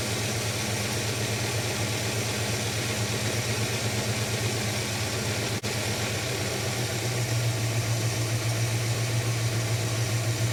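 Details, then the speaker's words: Holden HK engine, still not running smooth: low idle with an irregular stumble in the beat, a miss at idle; cause not yet found, owner is looking for a vacuum gauge. "and bring it back up sounds like it's got a Mist to it"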